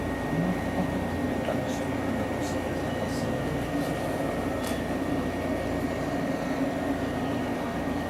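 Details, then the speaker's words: Metro train heard from the wayside as it passes: a thin, steady high-frequency whistle over a low rolling rumble, the wheel squeal through a curve that makes train passage noise so irritating, unlike the lower-frequency air-conditioning noise. "o ruído chato da passagem de trem é aqu principalmente não é só aquele mas é principalmente aquele de alta frequência chado da curva né"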